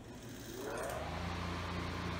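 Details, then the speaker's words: Split-phase electric motor released from stall: hum rises smoothly to speed within a second and settles to a steady drone, auxiliary winding cutting out with a click; normal start. "now I'm going to release the motor and allow it to start spinning you'll hear it fogs iller e winding cut out with a clicking sound"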